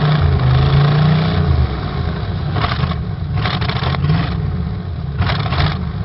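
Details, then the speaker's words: 1986 Oldsmobile Cutlass Supreme 305 Chevrolet V8, just cold-started after 60 days parked: uneven lumpy beat stumbling and recovering; dead cylinder cutting in and out, bad spark plug wire or fouled plug suspected, not confirmed. "So it definitely has a dead cylinder. It keeps cutting in and out. I'm not sure which cylinder it is, but it's got to be a bad spark plug wire somewhere, or a foul plug or something."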